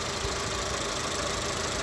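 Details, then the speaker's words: VW Polo Vivo 1.4 CLP engine after complete rebuild that cured a bad noise: steady, even idle with smooth hum and light valvetrain chatter, no misses or knocks; normal idle. "idling normally. 1.4 I CLP engine."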